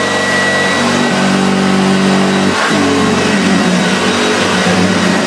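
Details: Very early, rare Hoover Junior 1436 Mk1 upright vacuum with the first plastic hood, in very good condition: even motor drone that holds its pitch apart from a brief dip as it is moved; runs smooth and healthy.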